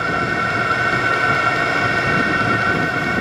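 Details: VEVOR 27,200 BTU diesel air heater, 12/24 V, first startup, on setting 2 with short flexible exhaust tube: steady, even blower roar with a constant whine, no surging or popping; running smoothly.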